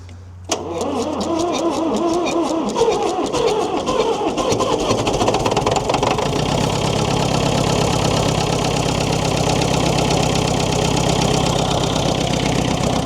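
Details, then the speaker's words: David Brown diesel tractor, first start after sitting 10 years, low battery: cranks briefly, catches at once and settles into steady diesel clatter within seconds; healthy start, as if shut off yesterday. ">> Have a listen to that. Like she was turned off yesterday."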